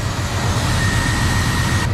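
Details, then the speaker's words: 1994 Chevy Silverado 1500 V8 with a rebuilt throttle body, on first start after 10+ years sitting: lumpy idle with a thin high whistle that cuts out abruptly, from vacuum leaks still to be fixed. "i've got some vacuum leaks to fix that's for sure but she's running people she's running"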